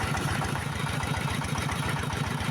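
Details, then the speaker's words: S-1115 diesel for a rice mill, after service, freshly filled with water, no load, strong oil pressure: slow, steady thump about five or six times a second, even with no knock or rattle; healthy low idle, throttle set low. "Diesel पहले से अलग है, हाँ, गैस बहुत अधिक नहीं है, इसलिए यह अभी भी धीमी है,"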